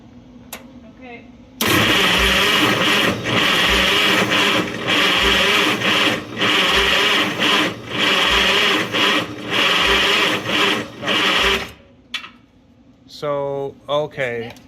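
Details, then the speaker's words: Vintage Mighty Midget Mobilift forklift revived after nearly 20 years, fuel bowl screen cleaned: starter churns engine steadily about ten seconds without firing; pump not pulling fuel, tank possibly gummed up or pump failing. Cranking no-start. "it's pushing fuel if it's on the output side, but it's not pulling fuel, so maybe the tank is gummed up or it's not getting fuel from the tank into the bowl."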